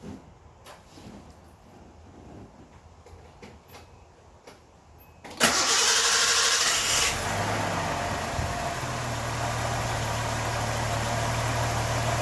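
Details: 1981 Nissan 280ZX, non-turbo, 80,000 miles, stored indoors since 1991, cold start with no throttle: long cranking before it catches with a burst, then uneven rough idle; hard cold start, wants to backfire and die with throttle, cause unclear.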